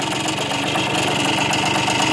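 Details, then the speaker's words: Warm idle of a 1981 project bike with suspected small-end bearing wear: steady busy clatter plus a sharp spitting tick over the exhaust beat; engine rattle with a leaking exhaust joint. "you know it's warmed up you can hear the rattling a little bit more the exhaust is leaking there"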